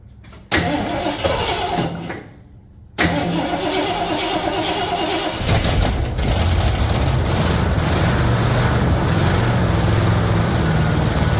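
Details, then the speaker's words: 1974 Ford F-250 farm truck big-block V8, unrun for a couple of years, on a battery after 10–15 pedal pumps: a few cranking bursts, a pause, then it catches and settles to a steady, even idle with no knocks. "she hasn't run in a couple of years well it was a 10 15 pumps and she started it right up"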